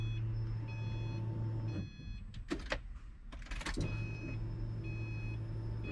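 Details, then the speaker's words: Subaru with iWire fuel pump controller hardwire kit (single stock pump, add-a-fuse) just installed, key cycled: low steady electric hum for a couple of seconds, cuts out, returns after clicks. Normal fuel pump prime. "first thing we're going to do is cycle the key you should hear the fuel pump prime"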